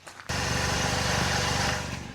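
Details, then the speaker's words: Car idling non-stop for over 30 hours, half tank of fuel left, in the rain: steady, even, smooth low hum with no knocks or misses; engine sounds good. "There's nothing weird happening. The engine sounds good."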